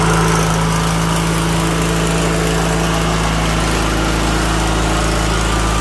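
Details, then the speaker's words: 2000 Craftsman LT1000 with Briggs & Stratton 21HP L-head twin, after carburetor and fuel pump rebuild fixed a fuel leak: steady, even low drone with constant beat, no misses or surging, no more fuel leaking; normal running. "Sounds good, and it's not leaking no more fuel."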